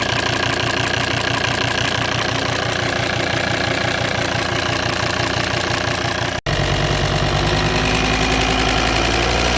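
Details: 2008 Volvo XC90 D5 diesel with automatic gearbox, idling: a crisp, regular tick of about three a second that keeps time with the engine, coming from behind or at the injector rail; owner suspected the injectors, but the car runs fine; source unknown.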